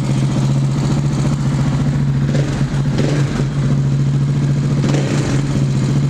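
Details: KTM 690 single after correctly setting Rally Raid mechanical cam chain tensioner: even thumping idle with steady hum, no chain rattle or clatter; healthy normal idle.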